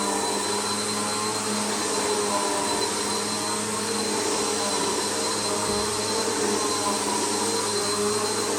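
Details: Bissell PowerLifter bypass-motor vacuum after a full service, tested on carpet at middle height setting: smooth constant motor whine with steady high fan hiss, no rattles or pitch wobble; runs normally.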